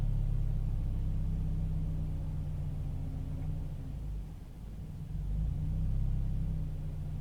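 Low idle rumble that sags and then surges back with an uneven beat; the engine is idling rough, cause not evident.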